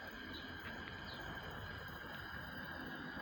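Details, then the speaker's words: Quarry Hunslet garden-railway steam locomotive with the smokebox door accidentally left open, losing smokebox vacuum: steady loud hiss with a thin high whistle as the blower works hard. "you can hear the blower working hard there's an unfortunate reason for that"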